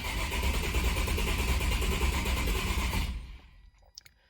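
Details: Nissan 350Z HR (VQ35HR) after new steel/paper oil gallery gaskets and water pump install: priming crank, even rhythmic cranking about 3.5 pulses a second, no clanks, then stops; turns over normally, owner suspects a cylinder misfire.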